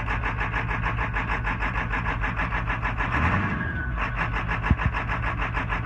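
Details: 1996 Ford F-350 7.3 Power Stroke diesel, ICP sensor replaced, oil and fuel filter changed: uneven, lumpy idle beat with a wobble in the middle; rough idle, cause still unknown.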